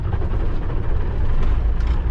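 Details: Kenworth K100E Aerodyne cabover diesel, cab jacked up, just started after fuel filter swap and screen clean; steady deep rumble with no stumbling or surging, idling normally.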